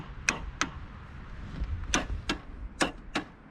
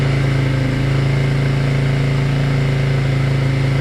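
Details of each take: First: Yamaha Moto 4 ATV sat over 20 years, on booster pack reading about 6 volts, neutral light on; several sharp uneven clicks, no cranking; owner suspects locked-up motor or bad ground, rust on spark plug. Starter relay clicking, not cranking. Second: Yamaha Moto 4 four-wheeler that sat about 20 years, first start after revival on temporary fuel tank with booster pack: steady, even low thump at idle, about four beats a second, no knocks or misses, then shuts down cleanly; normal idle.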